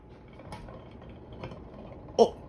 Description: The light globe was loose. The wobbling fan was shaking the light globe causing the noise.